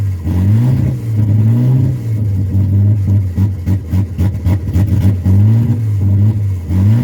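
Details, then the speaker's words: AU after a new fuel filter: engine fires and blips up and down smoothly several times with a steady idle between revs. The old filter flowed freely unpressurised but was blocked under pressure; the fuel filter was the problem. "[Music] there we go so it was the fuel filter after all"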